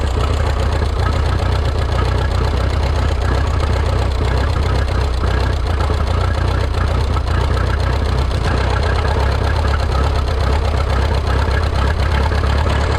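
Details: Rebuilt Minneapolis Moline 335 tractor engine, warm (gauge about 140°), tappet gaps readjusted warm: heavy, low idle with an uneven, lumpy beat and occasional stumbles, not firing quite right; sounds like misfire from too-retarded ignition timing.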